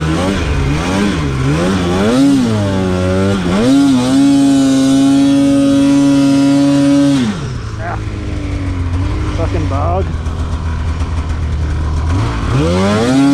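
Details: Polaris snowmobile with bad injectors/injector harness: engine surging and stumbling as revs rise and drop, pitch wavering; misfire.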